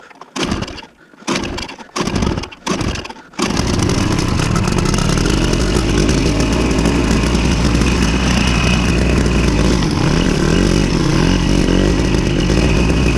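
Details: Victa Super 24 / Super 600 70-series two-stroke mower, carb cleaned after years idle, mowing thick growth: a few pull-start tugs, then it catches and holds a strong, even buzz under load; healthy.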